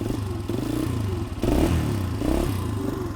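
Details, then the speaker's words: 2003 Honda CRF150 air-cooled four-stroke, choke fully off: uneven lumpy putter that sags and surges when blipped and can't keep running; mechanic suspects a plugged pilot jet after the bike sat, later confirmed completely plugged. "there's the choke's all the way off, and I can't keep it running. So that means to me that the pilot's probably plugged."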